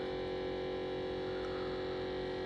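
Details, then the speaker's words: Household fridge: steady unbroken hum with buzzy stacked tones and no cycling, louder than it should be, cause unknown; abnormal hum. "that sound is so annoying I don't know why it's doing that but yeah that yeah it's probably time that I get a new fridge"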